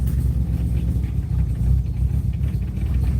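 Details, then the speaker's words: 1995 Mazda RX7 rotary, cold first start after sitting all winter, heavy smoke front and rear, good oil pressure: deep, uneven loping rumble at idle; running very rough, owner wonders if leaked coolant is the cause, unconfirmed. "this is running so bad I wonder if there's a bunch of cooling that leaked or what this smoking like crazy up there"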